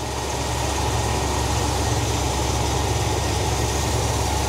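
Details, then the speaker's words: 1971 Cadillac DeVille 472 just fitted with a restored Quadrajet carburetor: low, uneven, shaky idle with a lumpy firing rhythm; the owner suspects an internal engine problem, not the carburetor. "that's a little shaky I don't think the carburetor is going to eliminate the uh the shaky Idol I think it's going to be something internal to the engine to be honest with you"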